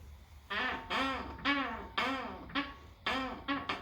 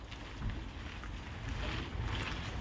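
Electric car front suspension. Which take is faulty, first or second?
first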